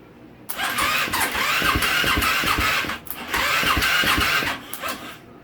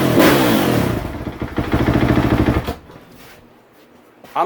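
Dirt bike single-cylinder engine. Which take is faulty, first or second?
first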